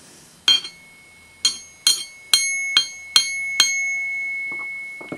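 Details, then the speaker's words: Wollensak T-524 reel-to-reel tape recorder, circa 1963: tapping the balanced capstan flywheel sets off a bell-like high ring called flywheel singing; a rough idler worsens it in use, and Wollensak made a silencer part for it. "And that's called flywheel singing. And it's caused by the fact that this is so well made. It's almost like a turntable."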